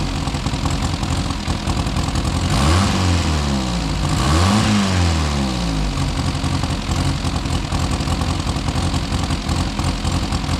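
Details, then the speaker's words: Car sat about 35–40 years, just restarted with no adjustments: uneven, lumpy idle with a stumbling beat and a brief rev. Misfire, seemingly firing on four cylinders most of the time; timing probably off (suspected). "okay so she's running pretty rough but I think sounds like it's firing on most of the time on four cylinders"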